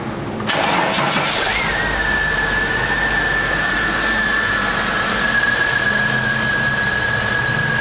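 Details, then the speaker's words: Holden VS Commodore after a head gasket job: heads crack-tested, inlet seats recut, exhaust valves lapped, fresh oil and filter. Catches quickly and settles into an even idle with a faint constant whistle; normal start and idle. "but it's sounding nice yep sounding quite good"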